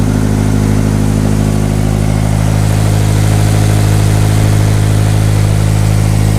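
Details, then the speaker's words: Subaru BRZ after replacing the alternator that failed while driving with battery light on: starts and idles smoothly with steady low rumble, no knocks or whine. Normal idle. "Let's start it. Oh, it works. Perfect. It's working, so yeah."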